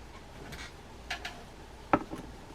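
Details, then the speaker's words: Quantum Accurist SE left-handed fishing reel after reassembly, with the clicker and star adjuster refitted and the star drag turned by hand. A few soft, irregular light clicks. Normal star drag clicking. "forward do as much of that by hand as you can you should hear it start to click"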